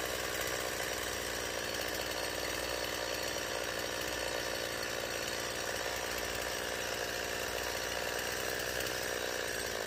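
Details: Stihl MS170 chainsaw under cutting load after a new fuel line and the original Zama carburetor replaced a non-adjustable Chinese one: high-pitched two-stroke scream holding even revs through the cut, no stumbling or surging. The no-start fault is fixed.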